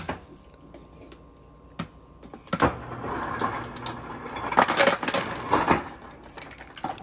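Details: 2006 Maytag MFI2568AES French-door refrigerator after replacing the damaged temperature control board: a few soft clicks, then ice rattles out in quick bursts as the external ice and water dispenser works normally on demand.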